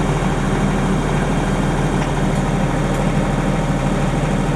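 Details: Denyo DCA-15SS-N genset, 30+ years old, with a Nissan 1.6 3-cylinder diesel (18 PS at 1500 rpm), first start in years, warming from cold: low, smooth, even hum with no knocks or misses; normal running.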